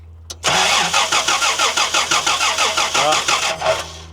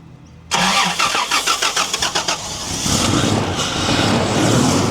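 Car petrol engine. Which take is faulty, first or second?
first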